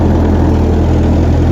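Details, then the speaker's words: Refurbished tractor, still cold, idling after repairs during a night shakedown: a steady, even low idle with a deep regular beat and no knocks or misses, with good oil pressure. Normal idle. "idling clean, running happy. Good oil pressure."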